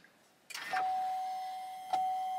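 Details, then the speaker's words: 2021 Chevrolet Silverado 1500, 3.0L LM2 Duramax diesel, after fuel filter change: key on, click then a steady electric hum holding evenly as the fuel pump primes for two minutes per GM procedure; normal priming. "can hear the pump priming right now and they want you to let it go for two minutes"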